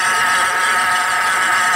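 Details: Engine running with a loud, steady whining rasp from the belt area, traced to a worn pulley and a noisy supercharger in a many-pulley accessory drive.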